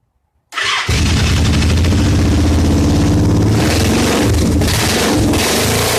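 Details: Motorcycle assembled from spare, broken and wrong parts, restarted after plugging in a throttle position sensor left unplugged. Fires after a brief crank, then the beat wavers and stumbles unevenly and won't hold a clean idle; rough running.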